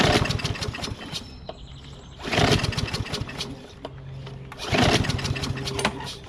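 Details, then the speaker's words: Craftsman mower with a Briggs 550EX engine, hot, original muffler refitted, homemade choke flap removed: three rope pulls, each a brief rasping spin that never catches. It won't start; the owner suspects the carburetor and plans a new one. "It doesn't start at all now. Crazy talk, man, crazy talk."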